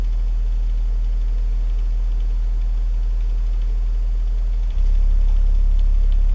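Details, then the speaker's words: Polk PSW10 subwoofer after removing the metal insert from the port, low-frequency sweep from 50 down to 25 Hz: steady deep low tone with no port chuffing, then steps louder near the end; port noise fix working. "So you'll hear how that sounds without the port noise, and I'm going to try to recreate a little bit of port noise by sticking my hand in the port."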